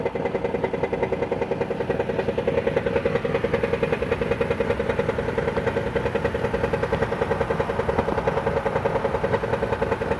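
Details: 2014 Dodge Caravan with the engine warm at idle, where the noise is most pronounced: a steady, even metallic clatter; the dealer diagnosed and removed a flexplate badly cracked around its centre.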